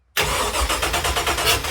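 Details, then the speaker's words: Rebuilt LS1 V8 with choppy Crow cam, swapped into 1978 Corvette, after crank sensor plug fixed: starter spins engine briskly with even chugging but it never fires. Crank-no-start; owner suspects another mis-pinned sensor or coil pack, wires or plugs swapped. "Now that could be another issue. That could be another sensor that's pinned incorrectly, or that could be, like I was saying a moment ago, the coil."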